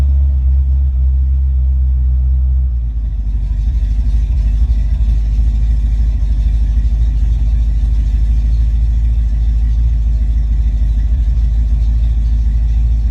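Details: Ford Mustang foxbody with rebuilt, tested A9L mass-air ECU: after start it comes off high idle to about 800-900 RPM closed loop, then is revved and held; deep V8 rumble, smooth, no breakups, stumble or misfire.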